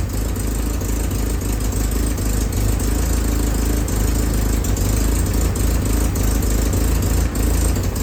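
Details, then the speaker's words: Willys M38A1 Jeep four-cylinder after tune-up for a small miss: new distributor cap, rotor, condenser, points adjusted, broken spark plug wire replaced. Idle throttle nudged up slightly, it fires cleanly with a steady, even soft pulse and no stumble; pretty good. "Feels like you need to turn up the throttle just a little bit. I did I'd say that's pretty good."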